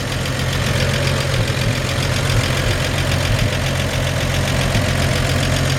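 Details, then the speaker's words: 1954 Chevrolet 3100 pickup with warm petrol engine idling, hood open: steady, even low rumble with no knocks or misses, a healthy normal idle, with only a slightly squeaky belt noted. "opens that easy and you can hear just this engine purr like a kitten i mean it just has a little squeaky belt but listen to it got that healthy"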